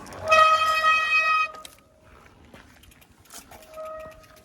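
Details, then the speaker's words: Hydraulic bicycle disc brake with a loud, steady horn-like squeal: hydraulic fluid got on the pads and rotor during a service. Fixed by removing and cleaning the pads and rotor. "i don't know if you can tell there but it does squeak quite a"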